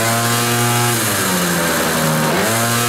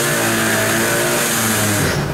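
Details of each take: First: Cold Kymco Vitality scooter revved against the brake after soft clutch springs on the centrifugal clutch were replaced; engine revs cleanly, dips and recovers with an even drone, now pulling at start where it previously lost revs; normal revving under load. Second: Kymco Vitality scooter: steady engine drone whose revs sag when the brake is applied, showing the centrifugal clutch engaging too early, leaving no torque to pull away; CVT drive needs adjustment and service.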